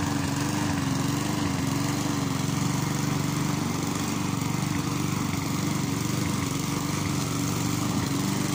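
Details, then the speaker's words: Mountfield self-propelled lawn mower rescued from scrap, with new electric brake, started with a bit of throttle: steady, even engine drone with a constant firing beat, no misses or knocks, running healthy. "So we're just going to go ahead and start it up, and yeah, you'll hear her in all her glory."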